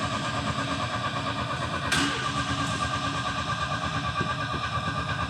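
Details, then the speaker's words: Old Italian sports car rebuilt with junkyard parts: steady, even cranking at about three turns a second that never fires after hours of attempts; owner suspects the crank angle sensor, though an RPM signal is present. "now I've been trying to get this car started for hours and it's just won't start I think I know what the problem is though we are having issues with our crank angle sensor"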